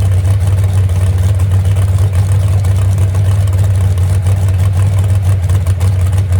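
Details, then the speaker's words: Moonshiner hot rod V8 restarted after 10 months and full overhaul following a crash, after fixing two crossed plug wires. Deep, steady burble with even firing, no misses or knocks: normal idle. Temperature gauge not working; possible radiator leak. "Well, girl, still sounds good, don't it? That's all it needed right there."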